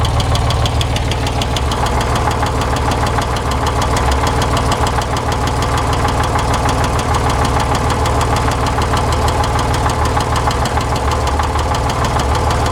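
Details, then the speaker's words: 1961 Corvair Lakewood wagon, 80 hp, Powerglide, new rings and valve job, hot after 20 minutes' running. A fast, loose metallic rattle at hot idle, absent when cold; oil pressure flickers low. Not rod or wrist pin; crank thrust bearing suspected. "it runs great when it's cold but as soon as it heats up it's got a rapid rapidy sound and sounds like something's swinging away inside loose"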